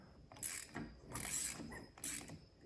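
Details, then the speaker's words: Honda 400EX quad that died on the trail, turned over with spark plug removed: three short ratcheting bursts, each stalling abruptly; engine binds with no compression, owner suspects the rod locking up. "And it's locking up. See, it shouldn't be getting that tight with no plug in it. There's no compression."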